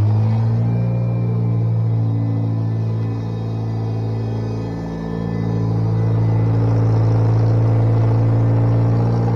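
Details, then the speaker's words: Bobcat 642B skid steer at about 1447 hours after head gasket replacement, started with choke after sitting overnight: smooth, even low idle rumble with no smoke and faint hydraulic pump whine because it is in park. Normal idle. "no more smoke runs pretty smooth you can probably hear the hydraulic pump lining a little bit that's because i got it in park"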